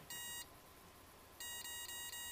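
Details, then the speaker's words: EMAX 25A 4-in-1 multirotor ESC on a quadcopter with APM 2.6, calibrating throttle one motor at a time: one bright beep, a pause, then four quick beeps confirming calibration. "you hear that so with this CC that's the sound you'll hear so whatever motor was plugged in you'll hear that"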